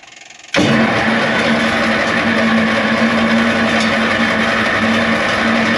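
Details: LeRoi four-cylinder gas crane engine (Bantam T35, 1945 GMC 6x6), flooded with fuel leaking from the exhaust, cranked with the choke in and the throttle wide open: it catches suddenly and settles into a steady, even hum. Cleared and running.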